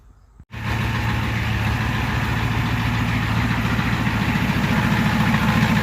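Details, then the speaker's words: Ford 7.3L IDI diesel after valve cover gaskets and fuel return lines were replaced, first start with air cleaner off; catches and holds a steady fast idle around 1500 rpm, abnormal, and owner feared a runaway. "i had that off because i first started it and it went to like 1500 rpm which is not normal so i thought it might run away or have a chance of running away"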